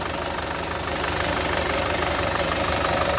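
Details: Car brought in for poor pickup, mileage, pollution and engine noise; idle with a rough, rattly clatter of roughly three beats a second over the engine; abnormal engine noise, cause unclear.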